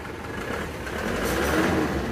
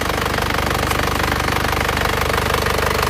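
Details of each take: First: Isuzu Panther LS diesel as it arrived at the shop, blipped quickly on the throttle. It rises with a coarse, uneven, breathy roar and one cylinder is not pulling. The mechanic suspects a badly leaking compression; the engine was later rebored with cast liners. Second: Isuzu Panther LS diesel after its engine was rebored with cast liners and its injector nozzles were serviced and adjusted, running Titan oil. It idles with a steady, even clatter of about two beats a second. It limped before; now it is clear, smooth and smoke-free.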